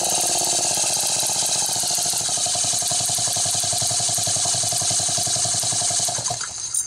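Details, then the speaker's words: Homelite Super XL chainsaw with weak spark that looked fine on a plain plug check: rough, uneven two-stroke buzz with stumbling beats that fades and cuts out; misfire from a failing ignition condenser. "hearing how it was running something was not right yet so let's figure it out"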